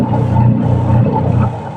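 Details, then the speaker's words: Washing machine after timer repair, wash motor running: steady low hum with gentle rhythmic surges as the agitator reverses direction, timer clicking over; smooth, no grinding, timer working again. "pag ginto yan pabaligtad naman ikot yan yan ibig sabihin Okay na itong timer pipitik siya oh o kabila na naman siya ikot"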